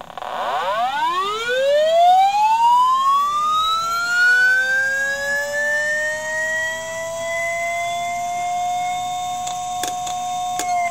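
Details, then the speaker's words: IBM "DeathStar" hard drive heard through an electromagnetic telephone pickup coil: platters spin up, then sharp clicks as the voice coil slams the heads back to the stops and retries. The spindle motor dips and recovers each time, and the drive can't load its microcode/firmware from the reserved area, so it never comes ready. "what you're hearing there is the hard drive the heads resetting see if we can find the voice coil so that's the heads moving back to the position back to the stops and then trying again"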